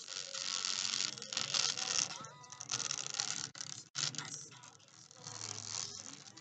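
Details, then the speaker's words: Apple MacBook Pro A1502 before repair, both speaker surrounds torn: music plays thin and tinny with a buzzy rattle and distortion on louder passages. Torn laptop speaker surrounds. "it is making noise I'm just gonna play the music to see how it looks like if you can hear the uh the sound the Distortion in the speaker we are just going to fix this issue"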